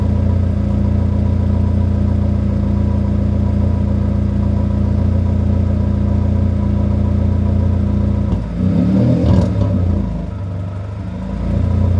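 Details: 1997 Honda Accord after replacing a burnt, blown exhaust flange gasket at the headers, warmed up and revved; steady smooth engine note with a brief even rise and settle, no knocks or ticks, exhaust leak fixed.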